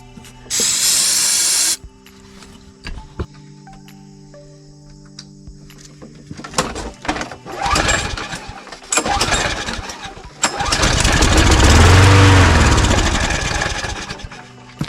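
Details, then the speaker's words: Toro Recycler mower with no gas, started on starting fluid: fires, builds briefly, then fades and dies; likely fuel related, with plans to clean the carburetor. "Okay, so that was not 30 seconds. That was just enough for the starting fluid to ignite and then die. So it's mostly it's going to be fuel related"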